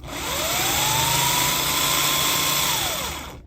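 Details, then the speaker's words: Starter motor bench test, pinion not ejected, contacts shorted to hear bearings and windings: spins up to a steady high whine about three seconds then winds down, no grinding or bearing rattle; normal free spin. "We'll just shorten, yeah, we'll just make short from here to here, yeah, and this will give us the sound of the bearings."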